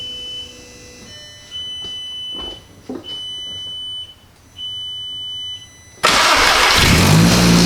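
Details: Car starting after a clutch hydraulic fix and battery reinstall: a few quiet chimes, the engine cranks briefly, catches promptly and settles into a steady run; normal, healthy start.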